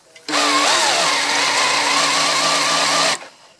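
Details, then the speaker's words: 1983 VW Rabbit GTI engine being primed with break-in oil: drill spins the oil pump drive shaft via a 1/4-inch socket tool, steady whine with slightly wavering pitch as cold, thick oil moves around the engine. "So once it's in, there it's in now, I can spin away. You can hear the oil actually move around."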